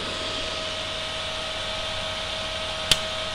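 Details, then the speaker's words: Inverter welding machine fan running with a steady airy rush and faint hum, no flapping or rattling, after fixing a wire inside the fan cover thought to be causing the flapping sound. "so hollanda there's no more sound no more flapping sound so probably it's because of this we'll check this one out and everything is doing fine"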